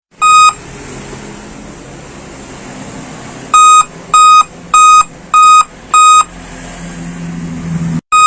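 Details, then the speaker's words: Dell laptop giving a POST beep code: high piercing beeps about every 0.6 seconds, one then five, pausing and repeating; cause suspected, not confirmed. "Nah setelah itu memang untuk beatnya itu satu kali di London dengan lima kali BIP ya"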